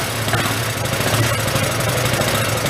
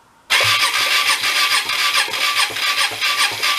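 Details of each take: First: Hyosung Aquila GV250, sat 9 years, running after starter fluid while clearing excess cylinder oil: quick, even firing with a slightly uneven low burble but no knocks or ticks. The suspected bad cylinder heads or valves seem fine. Normal running. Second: Hyosung Aquila 250 (GV250) V-twin, dead for 9 years, cranked with power fed straight to the starter on the front cylinder. Heavy, rhythmic, diesel-like chuffing at about 2.5 pulses per second with no start; oil in the cylinder suspected of raising compression.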